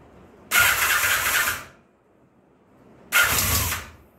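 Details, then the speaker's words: 1984 Honda Nighthawk parts bike after long sitting, full choke, first start attempt: two roughly one-second cranking bursts, fast even churning with no firing; cranks but won't start, owner thinks it must draw fuel from the carburetor bowl first. "It's going to take a minute. It's got to suck the fuel out of the bowl, get it into the engine, all and you know, let it come back to life"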